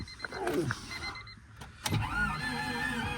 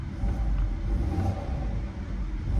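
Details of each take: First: oh I don't like the sound of that I do not like the sound of that at all that sounds to me to me that sounds like either an engine that's uh out of time or low compression Second: Auction car revved in 96°F heat: deep, even rumble as revs rise with no knocks, ticks or rattles, a healthy-sounding engine, though the check engine light is on and the AC isn't cooling.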